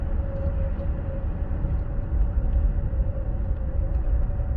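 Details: 2016 Ford Explorer 3.5L, 6-speed AWD, 92k miles, cruising above 50 mph under very light throttle; steady mid-pitched whine over road rumble, stops when throttle released; transmission or PTU suspected, not confirmed.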